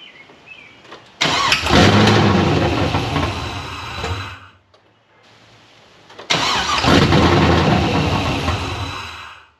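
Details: Pontiac GTO, open-header start: two loud starts, each roaring briefly, then fading and dying within seconds. Engine won't stay running; cause suspected, not confirmed.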